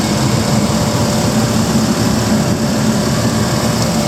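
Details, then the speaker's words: 2008 Chevrolet Express 2500 with 6.0-litre V8, 319,000 km: even, deep idle hum holding constant with no misses, ticks or knocks; engine running smooth and healthy. "You can see the motor's running good. It's got the 6-liter in it. Listen to it running. It's fine."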